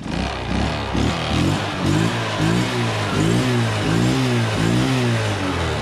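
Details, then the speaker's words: Motorcycle that had died, now running on a substitute IC Z-Con ignition module plugged in: small single-cylinder engine running steadily with a low throbbing beat; fires and keeps going, ignition working. "Anh em chúng ta chỉ cần con IC Z con cắm vào phát là lổ được máy ngay."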